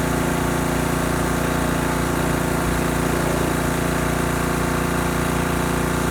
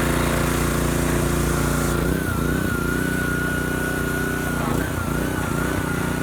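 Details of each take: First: Husky pressure washer repowered with a new Honda GCV190 engine after the original blew from low oil. Engine runs steadily with an even hum and a faint extra whirr from the pump end; the pump sounds a bit noisy, cause unclear. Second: Husky pressure washer repowered with a new Honda GCV190 engine, fresh oil added: steady, smooth small-engine drone with a faint high whine from the pump, which is making a little noise. Engine runs fine; normal running.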